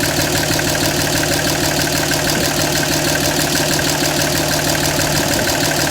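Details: 2007 Dodge Ram 5.9 Cummins diesel idling with uneven lumpy clatter about three pulses a second, hunting and stumbling; began a month ago. Intermittent fuel rail pressure sensor, MAP sensor and overboost codes (no boost fooler fitted); owner asks about blow-by; cause unconfirmed.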